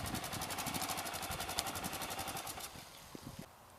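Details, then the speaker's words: 1999 Honda XR600R single, a revived barn find now street legal, with a stock muffler; soft, even thump about four beats a second through a quiet exhaust, dying down smoothly. Healthy, normal running. "As you can hear, it's got the stock muffler on it, and so it's pretty muffled down. It does have a lot of power. You open the throttle and it does pick it up."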